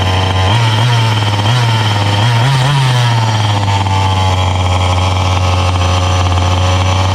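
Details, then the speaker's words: Brand-new Rovan XLT450 45cc two-stroke RC truck, first start after priming, stock factory needle settings: catches, blips, then steady, slightly fast buzzing idle, clean and even (owner would turn low speed needle 1/8 counterclockwise); normal idle after first start. "Fire up was terrific. We've confirmed the stock factory needle settings are on point, although I think I would lower the idle a little bit by adjusting the low speed needle a little bit counterclockwise, about 1/8 of a turn in the future, but right now this is okay."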